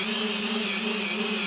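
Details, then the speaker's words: Multiwii 3D quadcopter after ESC throttle calibration, motors armed and run past half throttle in reverse: steady high-pitched motor whine with light pulsing and clicking between two speeds, no rattle or stutter; normal reverse run. "in Reverse so hopefully you can see that that noise is the clicking over the two different speeds"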